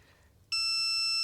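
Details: 1997 Mercedes W210 E300 diesel, glow plug number one tested with a continuity tester: one steady high beep under a second as the probes touch; solid continuity, so this glow plug is good (only number three was bad).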